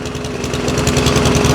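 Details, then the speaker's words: Junk lawn mower run on oil in an abuse test, blowing and consuming a lot of oil; small engine at a fast, rough beat with a hard metallic tap on every firing stroke, rising with speed; knocking badly. "Oh yeah, she's she's absolutely drinking that stuff up. Drink up, baby. She's knocking really bad."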